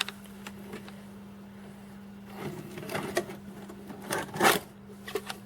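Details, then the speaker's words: A VCR from the haul was flaky to power on because its timer was on. Steady low motor hum with irregular clunks as the transport strains and stalls, and the tape never plays. Owner suspects dried-up grease or loose belts. "didn't eat the tape it just didn't want to go it's weird yeah that doesn't sound happy so it looks like the mechanisms of both of these need some work"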